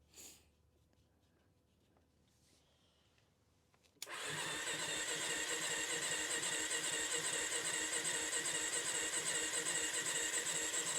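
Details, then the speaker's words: 1993 Yamaha Big Bear 350 ATV with low oil, fuel reaching the bowl: after a pause the starter whirs evenly at about 2.5 strokes a second with no catch or firing; low compression suspected, not yet tested. "on girl well that was a noo I thought this thing fire right up but almost sounds like she doesn't have much compression"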